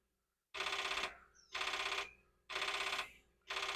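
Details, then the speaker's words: Commodore 4040 dual disk drive running catalog D0 on drive 0, earlier giving a read error: harsh buzzing bursts about once a second, each half a second long, with quiet gaps. Abnormal repeating head noise, cause unclear. "Just for fun, I'll try catalog D0. And that just doesn't sound right. But now it's changed."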